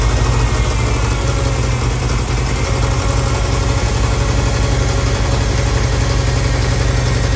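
Low idle throb at about four pulses a second, slightly uneven and lumpy; fits a big vacuum leak upsetting the idle mixture.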